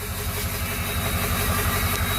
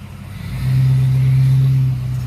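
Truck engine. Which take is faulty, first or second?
first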